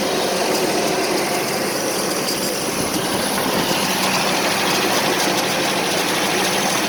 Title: 1984 Nissan 720 4x4 with rough idle.